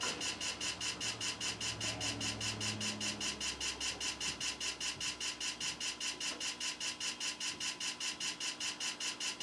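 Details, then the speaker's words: PC after MS-DOS floppy boot loads CD-ROM driver: harsh even ticking about four to five clicks per second from floppy head stepping; nasty-sounding seek, drive still works. "that sounds nasty all right see if we have all of our boot stuff"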